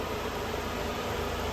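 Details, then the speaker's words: 1996 BMW 318i after replacing power steering pump, belt tensioner and idler pulley: smooth steady idle hum, no squeal, chirp or rattle from belt side; previous noises gone. "That concludes the video and uh yeah, no more noises. This baby is done and ready to rock."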